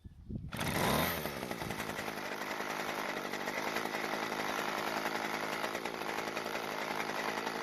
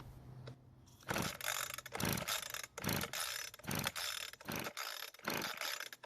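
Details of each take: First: Weed Eater brand hedge trimmer (yard-sale, wouldn't start, leaking gas from brittle fuel lines), run with the old fuel line reattached: a sharp, even two-stroke buzz holding a steady high pitch. Runs perfectly with no carburetor work needed. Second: Weed Eater two-stroke hedge trimmer, air filter off, gas poured into carburetor throat, overfilled and flooded: repeated ratcheting rope pulls about once a second with no firing; flooded, hard starting.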